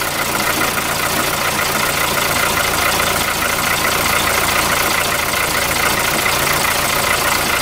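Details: VW Polo 4 engine idling with the accessory belt removed, after it was found torn and the AC compressor bearing was blamed for the earlier loud noise. Steady, even idle with no chirp, squeal or rattle. Normal idle.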